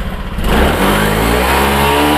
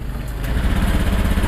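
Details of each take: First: Honda Beat Pop scooter after fuel pump fix and reset, throttle blipped: clean, even revs rising and falling smoothly with no stumbling or popping; earlier stalling/brebet traced to weak fuel pump pressure (about 20 PSI), now gone. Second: Honda Beat Pop scooter with low fuel pump pressure: low, uneven engine note that stumbles and delays as throttle opens, then dies when gassed; fuel starvation from weak pump.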